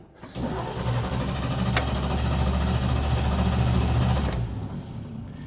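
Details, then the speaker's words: 1941 Chevy coupe six, warm after its longest run, temperature gauge mid-range: starter grinds at a slow, even beat for about four seconds before it reluctantly catches; hard hot restart. "It doesn't like it when you turn it off."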